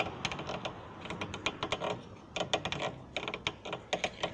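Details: Chevrolet Meriva with noise from the brakes and suspension; dry, irregular clicks and creaks in short bursts as a worn stabilizer link is rocked by hand; the stabilizer bar bushings may also creak; worn stabilizer link.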